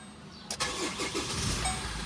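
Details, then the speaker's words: 2014 Chevrolet Trailblazer 2.8L Duramax diesel after overhaul for overheating with coolant mixed into oil: short crank, catches at once, settles to steady even diesel idle with no knocks; normal engine start. "so okay na ang ating unit na trailblazer 1.8 2.8."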